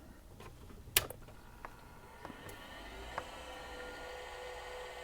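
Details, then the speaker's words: Friend's Macintosh Classic II after CRT replacement, powered up for floppy-connector voltage checks: faint steady whir and high hum after a few clicks, fan and hard drive spinning normally; no startup chime, capacitors suspected. "You can hear the fan going, hear the hard drive going, because I do have that plugged in to have a good load."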